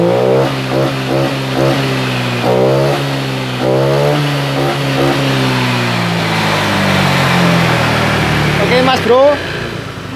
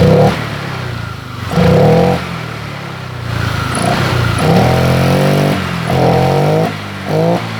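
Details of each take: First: Honda Vario 125 LED scooter with weak fuel pump, after fitting resistor on EOT sensor socket: engine blips up and settles repeatedly, pitch climbing cleanly without stumbling; crisp, more responsive throttle. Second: Honda Vario 125 LED scooter that hesitated with no response at initial throttle; after fuel was sprayed in through the air filter, revs climb crisply in short blips without stumbling, showing a lean fuel supply. Fuel starvation causing throttle hesitation.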